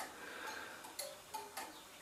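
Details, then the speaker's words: Gents 'waiting train' tower clock mechanism (circa 1918) synchronised by a Gents master clock every 30 seconds: light crisp steady ticks as the electrically maintained pendulum swings continuously; normal pendulum ticking. "although the pendulum is always running thus all the clocks are synchronized once every 30 seconds"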